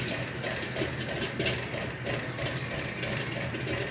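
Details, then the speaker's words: Restored 1950s Popcorn Shop dime-operated popcorn vending machine, hot plate raised from 350 to 400 degrees: irregular sharp pops one or two a second over mechanical hum; normal popping. "See the steam rising. Popcorn's popping violently now."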